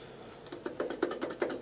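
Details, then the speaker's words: Suzuki GSXR 1000 front floating brake disc rocked by hand: sharp, irregular metallic clicks from loose bobbins with worn washers behind them, which chatter at low speed; the owner thinks it is not dangerous and is fitting new discs. "and that really is annoying at low speed you can hear it just chattering away I don't think it's dangerous"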